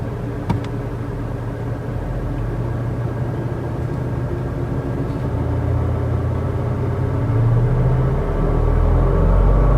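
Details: 2017 Kia Sportage SX Turbo under 15K miles, thin metallic engine whine above deep rumble as revs rise, from 1200 rpm up, present most days for over 10,000 miles; undiagnosed by dealer; cylinder 3 spark plugs have cracked twice.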